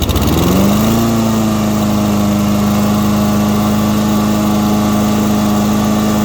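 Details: Husqvarna lawn mower after carburetor cleaning, fresh fuel: pull-start catches and settles quickly into a steady, even single-cylinder drone with no misses or surging; running healthy.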